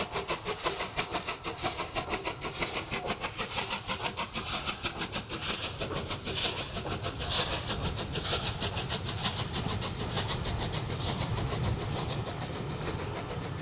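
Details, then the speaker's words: Steam locomotive Taw Valley halted by signal failure with fire built up for maximum steam: loud steady roaring hiss over faint rapid pulsing as the safety valves lift and dump surplus steam. "The crew have built up the fire for maximum steam raising, but are reduced to watching all that energy disappear through the safety valves until signal failure is diagnosed and the traction inspector is authorised to proceed."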